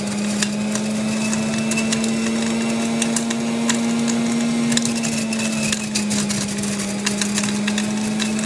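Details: Juicer running with steady motor hum and irregular sharp cracks and crunches as cherries with pits still in them are ground up inside.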